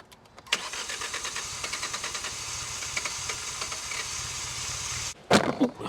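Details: Abandoned 2016 Hyundai i20 with a new air filter after fire starters: starter cranks, engine catches and sputters unevenly a few seconds, then dies. No fault codes and fuel rail pressure good; it starts, then stalls.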